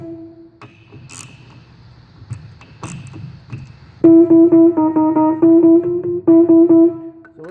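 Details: Fender Rhodes electric piano during pickup-to-tine distance adjustment: repeated clean bell-like notes near middle pitch, even sustain, no buzz or clack; pickup positioned about right, normal tone.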